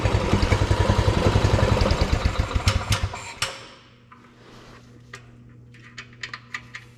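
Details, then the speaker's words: Single-cylinder go-kart engine after a carb swap; it putters at a slow, even three to four pops a second with the idle a little low, then shuts off cleanly. It runs fine. "Let's up that a little bit. Idle's a little low. Does it stop easy? Sounds all right."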